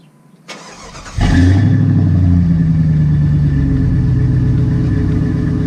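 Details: Jeep V8 after a new exhaust and a misfire fix (a broken plug wire repaired): it cranks briefly, catches and settles into a steady, deep idle with no stumble.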